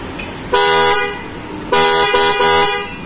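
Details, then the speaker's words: Honda Jazz horn, previously got water in it: three toots, one long two short, buzzy and raspy instead of clean; hoarse weak horn, being replaced with a Denso snail horn. "ini udah sember guys enggak tahunya guys jadi suaranya kurang begitu bagus"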